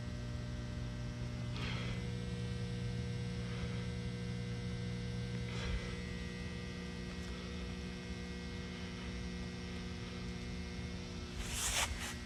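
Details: A constant low mains hum with steady buzzing overtones, unchanging throughout, from an electrical box in the woods; electrical hum.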